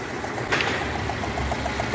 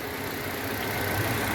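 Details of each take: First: 2016 Citroën C3 1.5 at idle: sharp regular ticking about three to four per second, combustion gas puffing past a loose spark plug; engine noise fault, plug wells later found dirty. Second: 2016 Citroën C3 1.5 after the engine noise fault was found and fixed: smooth, even idle with a steady low hum and no ticking or knocking; noise resolved, no valve adjustment needed.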